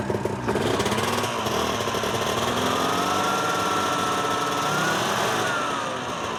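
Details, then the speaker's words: Ski-Doo 377 two-stroke snowmobile revving on a stand, just refueled: rough rubbing whirring wobble riding the revs; secondary clutch wobbling because a plastic slider bushing is missing. "oh so that's not good the clutch is wobbling around big time because of those pieces that are missing in here"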